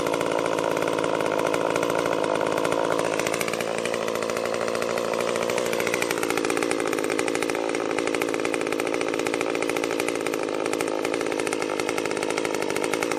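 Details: Stihl MS 194T top-handle chainsaw after muffler mod (inner baffle removed), freshly tuned, cutting red oak: high raspy two-stroke scream sags briefly as chain bites then holds strong without stalling; normal cutting under load.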